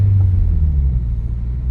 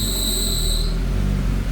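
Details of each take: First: Turbocharged Subaru BRZ after throwout bearing replacement, test drive shifting gears: only low, even engine rumble, no chatter, squeal or grinding; clutch engages cleanly and smoother than with the old seized bearing. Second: Turbocharged Subaru BRZ with a running engine: high steady squeal comes whenever the clutch pedal is pressed even slightly and stops when released, pedal feel also odd; failing throw-out bearing, clutch later smoking.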